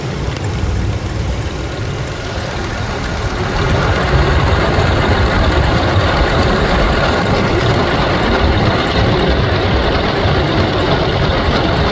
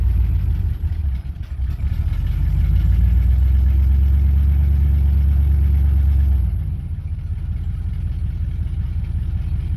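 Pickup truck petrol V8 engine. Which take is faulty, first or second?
first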